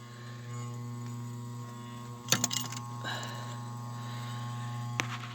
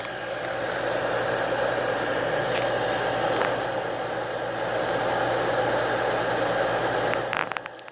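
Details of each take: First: Hardy H2 boiler damper blower motor, calling for heat: steady low electrical buzz with no airflow as the damper opens but the seized fan won't turn; bearing previously squealed dry and needed hand-starting; motor replaced. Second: Hardy H2 outdoor wood heater, newly replaced damper blower fan motor after the old one locked up: steady, even hum with airflow rush, no grinding or squeal; bearings quiet, fan healthy.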